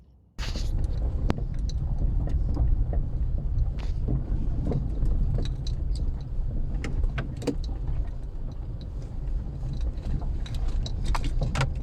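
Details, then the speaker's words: VW Polo driving over bumps after a steering rack repair: sharp irregular knocks and rattles over heavy road rumble from a worn stabilizer link. "так вот забегая вперед скажу что так Стучат стойки стабилизатора"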